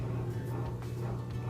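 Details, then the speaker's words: Bosch dishwasher after controller replacement, test on normal cycle: quiet steady low hum with soft clicks, no grinding or rattle; drain pump running normally before fill. "minute timer we hear the drain going and next up mmm we should hear the water pouring"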